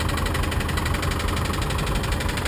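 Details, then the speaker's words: 1990 Mustang LX, good oil pressure, new alternator, tensioner and belt: rough idle with rapid regular tapping knock; source not yet located, considered fixable. "yeah she's knocking like the po-po after you you know but she is fixable"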